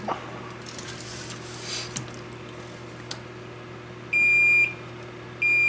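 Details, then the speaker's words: 25-inch K7000 arcade monitor chassis blowing fuses, multimeter diode test on red-channel transistor: steady high-pitched continuity beep twice as probes touch, versus 0.5–0.9 V drops on others; shorted transistor. "Go back to this one, shorted. So our red neck transistor is shorted."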